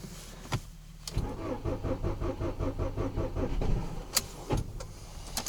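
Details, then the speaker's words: Ford Focus, 5W-30 Ford Formula oil, about −24 to −29 °C after standing 5 days, 2-year-old Akom 60 Ah battery: sluggish cranking about three seconds then stops, never catching; booster to be connected; slow cranking, no start, cause suspected. "Все-таки на нулевке заводится пошустрее. Машина 5 дней простаивала. Аккумулятор Аком 2-летней давности. Аком 60 ампер. Ну, сейчас будем бустер подключать."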